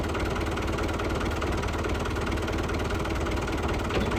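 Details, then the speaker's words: Lifan 7hp GX200-clone engine on a Frontier OS18 sawmill, after repairing a blown head gasket caused by a loose bolt and setting valve lash: steady, even single-cylinder idle with a firm putter and no knocks or misses; normal running. "it struggled too much, and seemed to have lots of power. Sounded okay too, so I think we got that figured out."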